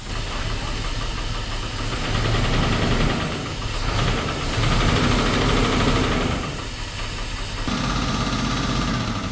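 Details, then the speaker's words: 1978 Cadillac DeVille big-block, sat 15+ years, no oil pressure reading, engine hot: heavy, uneven knock at about 3–4 per second, quieter than earlier. Cracked flex plate. "still knock it's still knocking but it's not near as loud"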